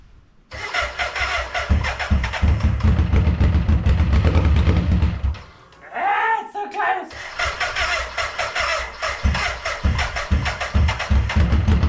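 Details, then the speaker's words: BMW K100 café racer, first start after electrical rewiring and fuel tank fitted: cranking gives way to a few seconds of uneven firing, then stalls; owner suspects the mixture; engine fires briefly then stalls. "okay of course after I turned it off and I tried one more time it actually fired to laugh properly but not for very long before it died so I'm assuming this is my mixture"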